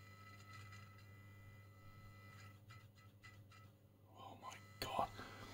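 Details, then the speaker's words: 1974 HP/Harrison Labs 6226A 0-40V 1.5A bench power supply with switched pre-regulator, no fan, drawing 20 W at idle with no load; steady low mains hum that never changes pitch: loud transformer hum. "it is using 20 watts of idle I don't like this sound maybe when you put on the sides and all that maybe it's not a problem"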